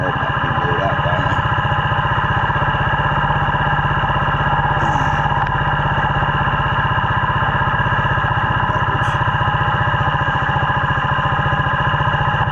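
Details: Yamaha 80cc quad after fix-up: steady, even putter from the small single with no knocks or misses, idling a touch high but running smoothly. Normal idle, slightly high.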